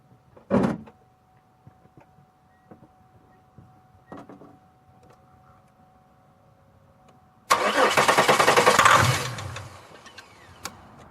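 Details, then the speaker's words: 2002 Chevy Malibu cranking but not starting; quick even chug for about a second and a half without catching; ignition present and fuel pump running, but injectors suspected of not opening, so no fuel. "there you go hey crank which means I have ignition but I've got no fuel going to"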